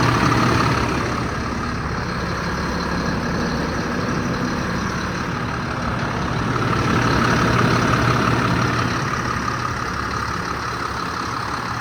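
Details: 2007 Ford F-750, 7.2 C7 Caterpillar diesel, six-speed manual, 269,113 miles; deep steady idle with a small swell in revs and no knocks, rattles or misses, healthy engine.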